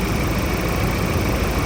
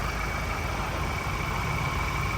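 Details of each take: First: Steady, even diesel idle from a Ford Raptor after engine work and replacement of all four injectors, smoother than before with no knock, miss or rattle; injector coding is still to be done. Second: Ford Raptor diesel after engine work, idling: harsh, uneven clatter under a steady idle, wrench warning light came on at 120-140 km/h; rough running blamed on injectors, all four to be replaced.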